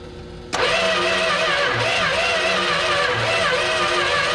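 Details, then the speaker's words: 1971 Dodge Coronet station wagon that sat 31 years in a field: the starter spins the engine at a steady, even rhythm for several seconds but it never fires. It has compression and plenty of spark; crank, no start. "I need a very stopped battery yeah that didn't start we had really good whiz and started us laying around it sounds better now though it's got compression so and we have plenty of spark"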